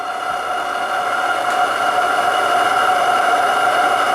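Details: RC steam gas burner with double-diaphragm regulator, main spring being screwed in to raise working pressure: steady hissing roar with faint whistling growing louder; burner running normally.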